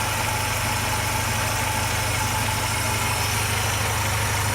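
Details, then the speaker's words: Mercedes M111 engine at almost 400,000 km, whose hydraulic lifters began ticking after an oil change with flush, now reassembled after an oil pump repair: steady, even idle with a smooth low hum and no lifter ticking. It is a normal idle. "ну что как то вот так всё собрал запустил компенсаторы не стучат так что пацаны белого бывает не всегда компенсатора дело"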